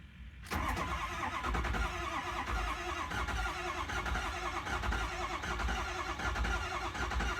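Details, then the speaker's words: 6.0 Powerstroke diesel after new high-pressure oil pump, IPR valve, oil cooler, gaskets and used turbo, first start; starter churns for several seconds building oil pressure, injectors and vacuum pump audible, normal before firing; later still seems to have a slight miss. "now these things take a second to build oil pressure so it's going to take a minute to crank we got lights [Music] on I could hear the injectors firing I could hear the vacuum pump"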